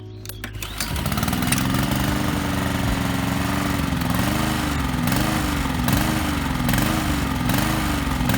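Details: Lawn mower engine surging, speed rising and falling about once a second, hunting from an oscillating governor; runs fine on choke, otherwise dies under load; carburetor cleaner sprayed into the warmed-up engine's intake didn't fix it.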